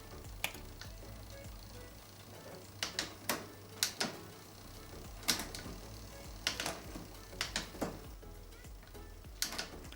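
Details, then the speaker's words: Mountain bike (Rockrider e-ST 900) after hanger straightening and cable tension adjustment: crisp single clicks at each shift, chain climbing and descending cogs cleanly with no grinding; derailleur correctly adjusted. "Lorsqu'on obtient un déplacement correct de la montée de la chaîne sur les pignons et de la redescente, on peut considérer qu'on est bon."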